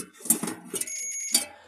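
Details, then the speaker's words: A short, steady high-pitched beep as multimeter leads are shorted together, confirming the meter's continuity tester works before checking a double-door refrigerator's fan motor wiring. "तो हमने इसको शॉर्ट करके देख लिया, हमारा metre okay है।"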